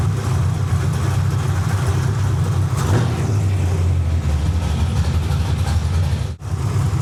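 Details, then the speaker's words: Carbureted V8 car during carb tuning: deep lumpy idle with a brief drop-out as the engine stumbles because the idle screw was bumped up too high. "I don't know if you can hear it, but the car started to stumble. All right, you hear that? That's not good."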